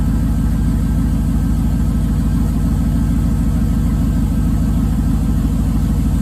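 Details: 2005 5.3 LS V8 in a 3rd-gen 1980s Firebird, straight pipes, flex fuel rail removed, throttle body changed, cold in Canadian winter and not revved. Loud, deep, steady lope at about three pulses a second, even and unbroken; healthy cold idle.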